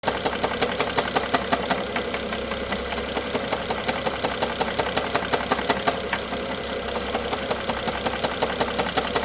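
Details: BMW F07 with N55 engine at steady idle: sharp, regular metallic knocking about three times a second, loud and clear above the engine note; engine knock.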